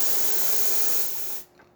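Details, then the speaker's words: Zacconi Baby Lusso espresso machine after the steam valve was replaced (its pin had come loose and jammed): strong, steady steam hiss at full pressure, then a clean shut-off. The steam wand works well. "And for the steamer, as you can see, and here's excellent pressure coming out of one. Working excellent."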